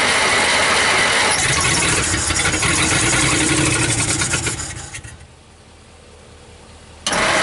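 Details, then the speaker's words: 1949 Dodge Business Coupe, first start in about 20 years, run without a radiator: it catches and runs rough with a slightly uneven beat, then stalls; it seems to skip, and stuck valves are suspected. "okay she might be all right she sounds like she's might be skipping a little bit but uh there's probably some valves stuck"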